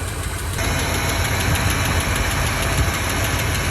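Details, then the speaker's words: 1984 Fox Body, 40k miles, just restarted after 20 years sitting, warming up: steady idle with a light quick ticking over the rumble; lifter noise owner hopes is from sitting, slight smoke from oil poured in cylinders. "There's a little lifter noise, but that's just because it's been sitting so long, I hope."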